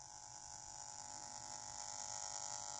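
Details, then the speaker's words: Jumper T12 Pro radio transmitter: steady buzz with shrill top note from the speaker, as the wire from motherboard to speaker acts as an antenna picking up the RF module's transmission. "d the copper wire or the wire that goes from the moldboard to the speaker is acting as an antenna and picking up the noise is coming from the crossbar transmission and that's what's causing the speaker buzz"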